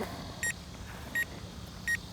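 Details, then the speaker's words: UDI U31W Navigator drone's controller/transmitter beeping three short high beeps, about one every 0.7 seconds, over quiet background: the LVC low-battery warning as the drone lands itself. "beeping there from the controller, the transmitter."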